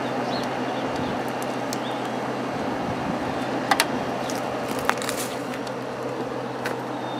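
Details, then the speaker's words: Kenmore (Whirlpool) vintage 5,000 BTU window air conditioner with a Matsushita rotary compressor, warm day outdoors, cooling well after a short run: steady, smooth, quiet low hum with a constant tone. Normal running. "kind of sounds like a Matsushita compressor so I'm guessing that's what it is this thing has not been running that long and it's already cold so it's pretty impressive"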